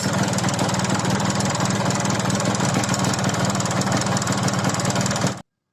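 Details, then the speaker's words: Yamaha RX King two-stroke just rebored oversize, with new piston, pin, bearing and rings, still runs rough with a fast, uneven ticking rattle, about four a second, suggesting piston slap; connecting rod checked fine. "tetapi disini malah kasar lebih kurang suaranya seperti ini ya"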